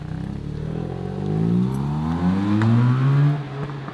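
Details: Mazda RX-8 rotary engine, rebuilt cheaply: smooth, even revs rising and falling with no knock or misfire. Residual water and catalytic-converter smoke are clearing, and the speaker remarks it sounds like valves tapping; normal revving.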